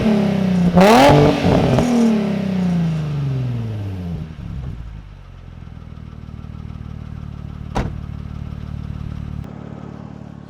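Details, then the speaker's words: Nissan 350Z V6 with new Cobra non-resonated exhaust and TP34 tips, camera just behind the car: engine catches, flares high, then sinks into a deep, even, throaty idle burble; healthy aftermarket exhaust note, roughly 10-20 times louder than stock. "comme vous avez vu le bruit qu'elle fait c'est ça rien avoir en fait c'est amplifié moi je dirais faut à 10 voire x 20 par rapport aux sons d'origine et le son est trop beau"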